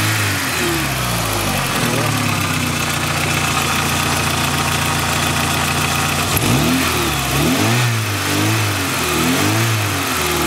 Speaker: pretty good sounding for a 250 car huh nice